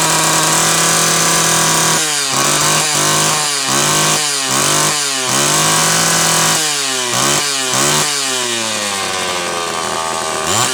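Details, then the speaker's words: Homelite Super XL chainsaw on a test run after repair: the cylinder base was leaking fuel, the starter was rewrapped, the duckbill valve in the cap was done, and the points were filed and gapped. Engine snaps cleanly to high revs and back while cutting; healthy running. "once i got those filed and gapped good to go so with any luck we'll have a successful test run here"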